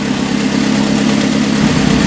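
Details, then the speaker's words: 1981 Alfa Romeo Spider Veloce, first run in about 8 years, warmed up and idling about 900–1000 rpm, exhaust section missing, temperature mid-gauge; steady, smooth exhaust note with no knocks, healthy idle. "just idling about a thousand maybe 900 rpm right now"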